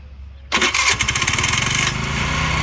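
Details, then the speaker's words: 50cc Sunny Chinese scooter after the Bendix was replaced: quick starter whirr, then the engine catches at once and settles into a steady buzzing idle; normal electric start. "Y'all hear it start, well, it starts really good now."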